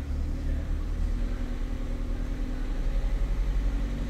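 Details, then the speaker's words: Ford Fiesta idling when cold, pedal untouched: a deep, low rumble rises and falls in uneven waves while live-data TPS readings are very erratic. Erratic idle from faulty throttle position sensor. "let's start it up and see what happens you can see what's happening there surging around and if we go to the screen what can we see that tps number is very erratic"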